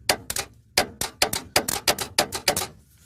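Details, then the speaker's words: Abandoned farm-field truck: sharp metallic clicks in uneven bursts, about three a second, with no cranking after them. Owners suspect the solenoid rather than the motor, unconfirmed. "Must be the solenoid, not the motor. No? Sounds like it's throwing out, doesn't it?"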